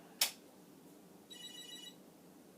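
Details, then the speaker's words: Commodore SuperPET SP9000, powered for the first time since the 1980s, sawdust-dusted, mode-select switches not fitted: short high warbling chirp at switch-on, a good sign, but the monitor stays dark. "i hear the chirp i'm looking to the monitor not so far oh i don't see anything now is the monitor connected is it on is it getting power i don't know certainly the chirp is a good sign"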